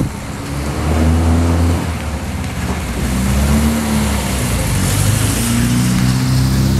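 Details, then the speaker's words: 1966 Triumph Spitfire MK2 after a misfire was fixed that had it running on two cylinders. The engine revs up smoothly and settles, firing evenly on all four cylinders with no skip; the carbs are not yet tuned. "But here the most important part is that the misfire is gone and the engine runs much smoother than before. It's much better to use all the four cylinders instead of two, right?"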